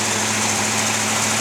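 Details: 1979 Oldsmobile 403 V8 first run on a homemade engine run stand: steady, even rumble with no knocks or misses; normal idle.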